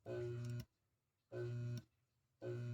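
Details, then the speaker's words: Washing machine motor tested with no capacitor connected: three short bursts of steady low electrical hum as the stalled motor is briefly powered; without a capacitor it can turn either direction. "yo voy a conectarlo y como no tiene capacitor puede girar para cualquier sentido de giro"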